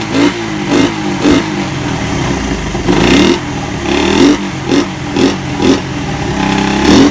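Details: Suzuki Satria FU single after repair of compression loss caused by a badly leaking valve oil seal: about nine quick throttle blips in seven seconds, each rising cleanly and falling back to a steady idle; revs freely and healthily.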